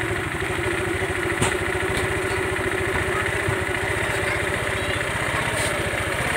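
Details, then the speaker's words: Motorstar Easy Ride 150 just revived after over seven years unused, oil in cylinder head; quick, even single-cylinder putter at fast idle, no misfires; idle set high, to be turned down; raised idle. "So tinaasan ko yung minor niya, babaan natin."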